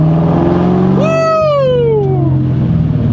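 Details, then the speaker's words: 1999–2004 New Edge Mustang after over-rev misfire fixed by reseating a popped-off rocker and fitting a new valve cover gasket: steady, even low engine note with no stumble or skipped beats; running well with no misfire, rough idle attributed to a vacuum leak. "Oh, I'm so happy right now, guys. She's running good. There is no miss."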